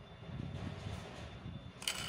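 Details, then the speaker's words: Air-cooler submersible water pump after reassembly, tested before refitting the cover: low, even hum with no scraping or rattle, blades spinning freely like a new motor; normal pump running. "देखिए दोस्तो इसका आवाज देखिएगा अब बिल्कुल नए motor के आवाज की तरह यह आवाज करने लगी"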